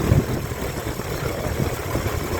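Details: 2004 Ford Explorer with a high-voltage charging fault, after replacing the alternator with a Motorcraft reman unit: low, even idle with a smooth steady hum, no whine or squeal; battery light off and charging properly.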